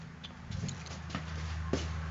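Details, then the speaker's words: 1972 Chevy truck engine idling after replacing noisy tensioner pulley and fitting a new belt; even low hum, no squeal or chirp, accessory belt drive sounds healthy. "all right guys got that sucker out of here it's not squeaky anymore it's running great so that's good"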